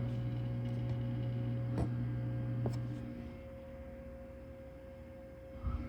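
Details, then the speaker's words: Liquid-cooled Power Mac G5 Quad (4× 2.5 GHz), phone held close at power-on: steady whirring fan or cooler hum for three seconds, jet-engine-like, then easing to quiet background once booting; normal startup, motorcycles in background. "you hear that hum that's got to be that cooler kick in it and just motorcycles on background sorry so like a jet engine uh warming up not that"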